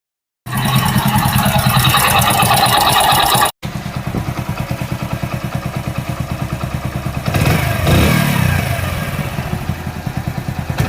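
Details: Splendor Pro single-cylinder engine after rebuild (water-damaged magneto coil, worn parts replaced): even, steady beat at about three pulses a second with a smooth blip, running healthy and smooth.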